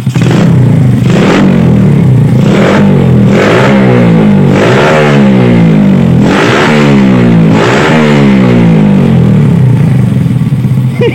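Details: Yamaha Vega R, engine hot: blips cleanly about every second and a half and drops back to a steady idle; pulls freely, carburetor suspected for the hot-engine fault.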